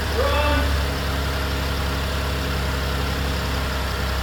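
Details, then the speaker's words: 2015 Buick LaCrosse that had a no-crank/no-start after another mechanic's transmission replacement, now started on a jump box. A brief start flare settles into an even idle with no knocks; StabiliTrak and ABS lights remain on. "And we aren't gonna run it for long because we didn't work on this car, but you can see it is running. Wasn't running before."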